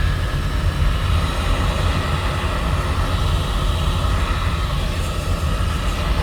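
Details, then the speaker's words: Home oil-fired boiler burner restarted after running out of oil, refilled and fuel line bled: steady, even low roar with light airy hiss, no pulsing or sputter; burner lit and firing cleanly. "That's when the boiler started."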